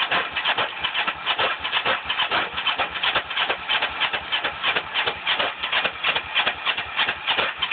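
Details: Small engine with cleaned carbs and new spark plug: even, rapid chuffing from the starter that never breaks into a firing beat; cranks but won't start.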